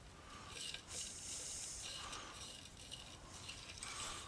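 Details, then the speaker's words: 12V single-phase wind generator turned by hand: uneven scraping, rasping bursts with each turn. A slight internal grind; it will be stripped down, with the brushes presumed inside the back plate. "this sounds like it's grinding a little bit it's going to have to be stripped down"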